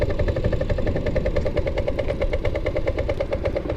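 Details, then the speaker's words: 1984 Yamaha Riva 180 scooter after carb rebuild, on the road: rough, choppy putter that falters and dies when turning and leaning; owner finds plenty of throttle needed; cause unknown. "It's already doing that for some reason. When it turns it does that and it dies."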